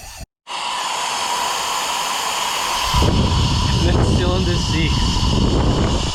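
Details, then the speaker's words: Ford Barra engine for a Nissan GQ Patrol, freshly reassembled head, cylinders pressurised: steady rushing hiss of air escaping. Cylinder 4 slight leak, cylinder 5 massive; valve seats leaking (possibly carbon), head going to machine shop. "not that you can feel it or see it but there is a slight leak out of cylinder 4. cylinder 5 has a massive leak you can probably hear"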